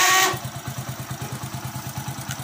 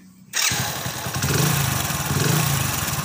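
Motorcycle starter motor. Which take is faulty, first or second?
first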